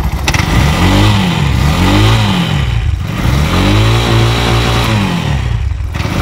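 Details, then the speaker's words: Bajaj auto-rickshaw BS6 CNG engine after injector work and tank cleaning: the small single-cylinder starts on the first press of the self-starter after a 10-minute wait and revs cleanly, rising and falling without stumbling. "10 ನಿಮಿಷ ಆಯಿತು ಇದು start ಆಯಿತು ಗಾಡಿ ಒಂದೇ ಸೆಲ್ಫ್ಗೆ."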